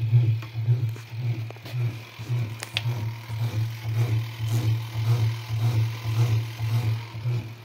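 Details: Acros 22 kg round top-load washer: motor runs with steady low hum pulsing about twice a second but the agitator won't turn and is stiff by hand; damaged transmission, replaced.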